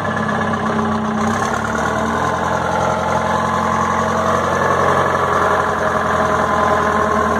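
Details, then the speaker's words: 1960 Detroit 4-71 two-stroke diesel, ex-generator engine said to have only test hours: a steady, even drone with a firm, unchanging beat and no knocks or misses; owner notes a little smoke at low rpm. "the motor looks young sounds young it does smoke a little bit at low rpms"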